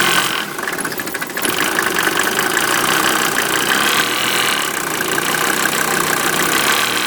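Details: 1988 Mercedes 190D diesel on waste vegetable oil at steady idle, a loud hard regular metallic clacking in time with the engine. It also smokes heavily with diesel fumes in the cabin; owner unsure if normal, source unclear.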